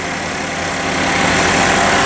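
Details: 2012 Buick Verano with intermittent stalling, surging and no-crank, running without the ABS module: even, steady idle with no dips, misses or stumbles, holding speed smoothly; normal idle.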